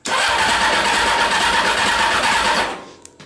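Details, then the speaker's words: CBR600-engined reverse trike, started by jumping wires in place of a toggle switch: starter spins about three turns a second for over two seconds with no catch and no pump hum; intermittent fuel pump wiring fault, pump not running. "I don't hear the fuel pump turning over all right that's one of the wiring Gremlins that this thing has of the fuel pump sometimes works but not all the time"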